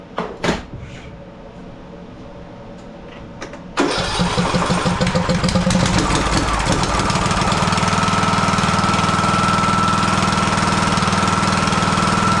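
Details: Husqvarna YTH18542 riding mower, 18.5hp Briggs & Stratton Intek that died during use: after a good spark test and a new NGK spark plug, some clatter, then it catches at about four seconds and settles into a steady, even idle with a faint whine; valve cover leaking.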